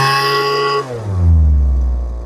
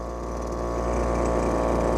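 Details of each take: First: Lesco LHB 2500 handheld blower during carburetor tuning, high-speed screw being adjusted. Steady high buzz, then revs sag and struggle when the throttle opens: bog on throttle-up, found to be underfeeding fuel at idle (lean idle mixture). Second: Lesco LHB 2500 handheld leaf blower after carburetor adjustment: steady, even two-stroke buzz with no hunting or misses, settling slightly louder; normal idle.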